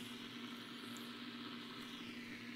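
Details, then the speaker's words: Blaupunkt Arkansas stereo tube radio at its first power-up after restoration, on medium wave with volume at full and the tuning capacitor jammed so it cannot tune: an even hiss with a faint hum. Normal AM band noise; the receiver is alive. "this is on medium wave we've got something you've got something on there that's medium wave can't tune well okay this is definitely noise that we expect to hear"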